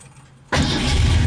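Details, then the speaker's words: 1966 Ford Mustang K-code, 289 271hp HiPo solid-lifter V8 with dual exhaust (idles about 800 rpm, high oil pressure), restarted: it catches instantly and settles into a deep, steady rumble with no stumble or miss; a clean start. "Fires right back up."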